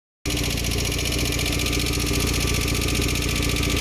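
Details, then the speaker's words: Ford Fiesta Mk1 with swapped-in Zetec engine, after camshaft replacement, idling: fast even ticking as the idle control valve pulses on injector signal, connectors swapped; over-fuelling from the valve stuck open. "the ticking noise you can hear is the injector the signal from the injector making this idle control valve pulse so that's why we're getting the pulsing noise"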